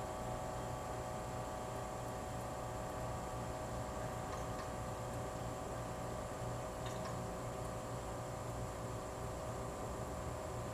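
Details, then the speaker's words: Old GE Monitor Top CK-2-C16 refrigerator, just switched on with three cans of R152A, high-side gauge only: steady motor hum, low drone and faint high whine, no knocks; getting warm, different noise than yesterday, evaporator getting cold; normal compressor running. "That's getting warm. That's encouraging. It's more than it did yesterday. It's a different noise."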